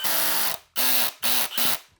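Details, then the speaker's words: Drill with its clutch set at 5 driving a 4-inch screw into white oak: rapid ratcheting clicks over a whirring motor as the clutch slips at the set torque, which is normal. "If you hear the clicking, that means the clutch is doing its job. It basically stops the drill from overdriving according to that setting."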